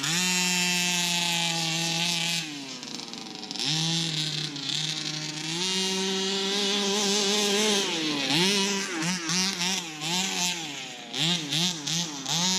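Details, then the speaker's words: Customer's Baja 5B RC car: revs up and down but breaks up and sputters on the climbs. Top-end sputter, car still drives fine; ring first suspected, then a spark plug or coil. Cause found to be a collapsed crankshaft bearing. "I want to replace the ring because of that top end sputter. It doesn't sound nice, but the car still drives fine."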